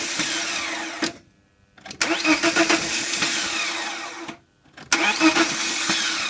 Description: Can anyone asses this starting problem that has been happening with my m44 engine? It is from a 98 318ti.